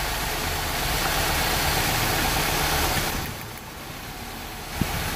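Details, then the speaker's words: Rough-running engine at idle during a cylinder power balance test: pulling plug wires one at a time, idle turns lumpy and uneven, speed sags and the engine vibrates more as one cylinder drops out, with a large manifold vacuum drop. "and then you're going to pour a wire one at a time and look at our P n R Us notice how the engine vibrates more"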